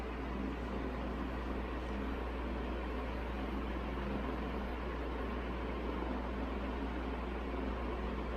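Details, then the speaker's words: 1981 Evergo 36-inch industrial ceiling fan, model 3E-6, cast-iron motor with aluminum blades, at full high speed: steady even rush of air over a constant low hum, no ticking or scraping; bearings somewhat stiff but not noisy; normal running. "this thing flies on high speed just bump the tripod again"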